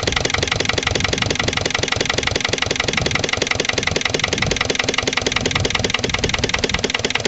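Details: Lister LD1 single-cylinder diesel on a chilly morning, after a fuel filter change and bleeding. Slow thumping at roughly three beats a second, somewhat uneven. Owner suspects the fuel injection is still off, possibly a missed bleeding step.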